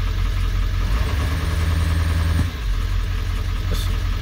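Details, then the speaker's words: 7.3 diesel truck at 217,800 miles, glow-plug-relay start: loud, deep, steady idle with an even low chug and no misses or knocks; oil pressure gauge inoperative; normal diesel idle. "Once that's off, starts right up, runs good. It's kind of a dinosaur. It's freaking loud, obnoxious."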